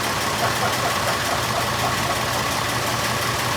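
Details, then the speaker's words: 1926 Oakland antique car, first run in 75 years, after finishing the fuel and exhaust systems: steady, even idle with mild valve chatter and no stumbles, still running fine about 15 minutes in. "we're in about 15 minutes and it's still running so i think we're good"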